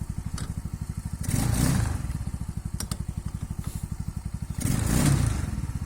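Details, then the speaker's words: Stels Kapitan 150 snowmobile, warm or cold engine with variator: steady fast single-cylinder thumping, sharp knock as forward gear engages (none in reverse), then surging revs; knock from play in the gearbox reduction drive. "включаю я переднюю то есть вот такой вот удар не знаю слышно это или нет на задней такого нету"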